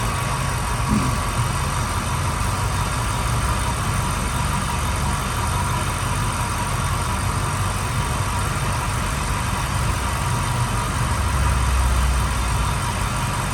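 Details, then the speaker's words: 1996 Ford Mustang Cobra convertible V8 with 81,000 miles, nearly stock: low, steady idle rumble with an even beat and no knocks or misses; runs smoothly and sounds healthy. "all right definitely definitely sounds good and running smoothly and perfectly"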